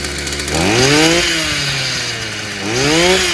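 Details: Stihl FS55 brushcutter, warm, good-quality plug fitted, new exhaust fitted; small two-stroke revs up cleanly twice, dropping to steady idle between, pitch rising and falling smoothly; running fine.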